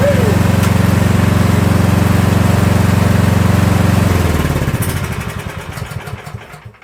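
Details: Troy-Bilt snow blower small single-cylinder engine runs a steady even beat after a gear selector adjustment that restored forward and reverse, then shuts off and coasts down smoothly with no knocks or grinding; healthy.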